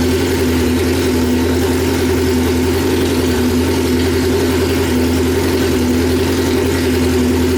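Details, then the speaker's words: 1995 Honda Civic on E85, idling after a new AEM E85 flex fuel in-tank pump and fuel filter install: smooth, even idle with a steady low hum, no knocks, misses or hunting. Running cleanly. "It's getting pretty late, so I'm just gonna crank it over and turn it on, let it run for a little bit just to make sure that it's running, and then I'm gonna shut it off real quick."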